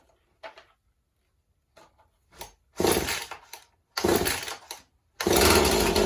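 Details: Husqvarna 435 chainsaw, likely mixed fuel, good compression, new purge bulb: catches in short ragged bursts that cut out, then holds a rough run; surging and stalling, carburetor needs going through.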